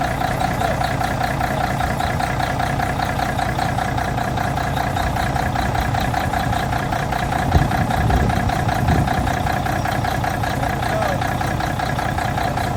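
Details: 1985 Mack R Model diesel truck, start after starter replacement: deep, steady diesel clatter settling into even idle with no misses or knocks; engine healthy, starter fixed.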